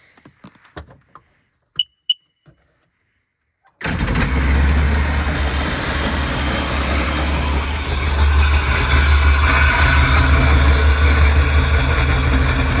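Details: 2002 Sea-Doo Sportster LE boat, 951cc, first start after a rebuild combining two boats: quiet ticks, then it catches into a steady low buzzing idle that rises slightly with throttle; normal smooth running.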